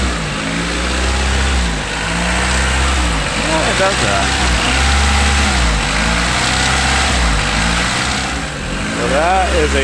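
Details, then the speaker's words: 1992 Honda Accord after timing belt and water pump replacement: idle climbs and drops every couple of seconds in repeating surge; owner suspects sticky, dirty idle air control valve. "starts doing funny so maybe it is that stupid thing"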